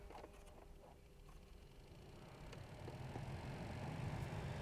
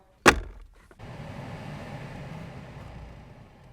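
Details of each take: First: 2007-era Alpina B7 blower after a new OE blower resistor replaced the burnt original: the fan now blows, but a quiet air rush carries a light chirping squeak three to four times a second from the blower motor, which needs replacing. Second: Alpina B7 blower running after the squeaking blower motor was replaced with a brand-new part: one thump, then a soft, even whoosh with no squeak or chirp, quiet before the foam is refitted.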